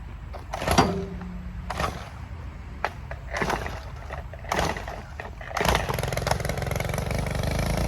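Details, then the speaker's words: Stihl weed eater (two-stroke) fitted with an Echo Speed Feed head modified with a 3/8 carriage bolt, lock nut and washer. A few pull-start tugs, then a steady, even whir with no vibration or shaking rattle; it runs smoothly. "No vibrations. So that's how we know it's done good. Everything is good."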